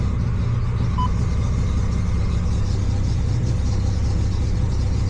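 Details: Datsun 240Z running after installing a secondary fuse box with relay to take load off the stock fuse box: steady, even low rumble with no knocks, misses or surging; runs smoothly and sounds healthy.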